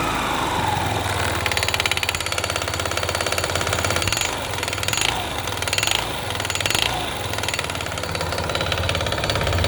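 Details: Yamaha Gear scooter engine hammering with a hard, rapid knock about three times a second at idle and light throttle; engine knock, cause not stated.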